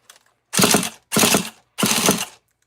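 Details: Nitro RC truck bought secondhand, roto-start after adjustments: three half-second bursts of quick even ratcheting whir with clean silence between; the engine spins over freely.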